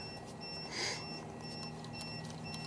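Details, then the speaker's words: Guta RV TPMS with a sensor pulled off a valve stem: quick high-pitched electronic beeps in short groups over a quiet cab, the monitor warning of low tire pressure. "oh you can hear the thing beeping because i pulled that off it's telling me that i got a low pressure"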